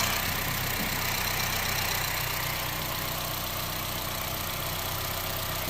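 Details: Good-running car idling during oscilloscope comparison with a pulse sensor in the dipstick tube: quiet, steady idle with an even beat, no misfire stumble or knock under background hiss; normal.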